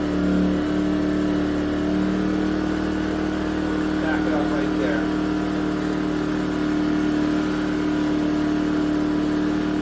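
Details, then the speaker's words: Yamaha EF2000iS generator, unused since 2012, converted to tri-fuel and running on propane after lean mixture adjustment: steady even hum with constant tone on low load (600 W heat gun), no hunting; starts to struggle slightly on high. "low again that sounds really good starts to struggle a little bit on high"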